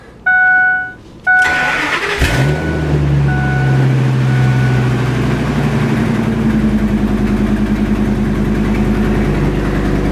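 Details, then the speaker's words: 2003 Ford F250 V10, towed in as a no-start caused by a fuel pump ground voltage drop, now started on a jumper ground: cranks briefly then a loud, raspy idle with a puffing edge from an exhaust leak. "let's see what we got and this one does have an exhaust leak so"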